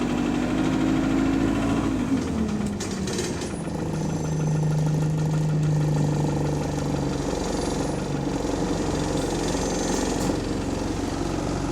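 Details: GAL SE101 diesel bus on route 286, also in limp mode without kickdown: heavy, steady knock about four times a second over the idle, keeping its rhythm deep in the engine; suspected rod knock, not confirmed.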